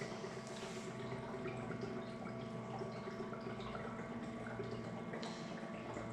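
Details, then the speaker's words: Printer commissioning, makeup fluid (fast drying black) bottle pushed into smart fill cup draining into makeup reservoir over 20–30 seconds: quiet irregular gurgles and drips with faint hum, normal fill, gurgling stops when full. "it takes around about 20 seconds 30 seconds to drain into the printer you'll hear it stop gurgling"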